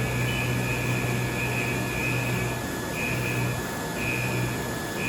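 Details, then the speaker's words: Haas Super Mini CNC mill, carbide end mill cutting a smiley-face part with RPM bumped to 120% and a faster feed; steady low spindle hum with an even pulsing cutter tone, no chatter or squeal, normal clean cutting. "And the reason I'm adjusting this at the machines a little bit is because we're listening to how our machine's cutting, how our tool sounds, and whether or not we can get away with the faster feed."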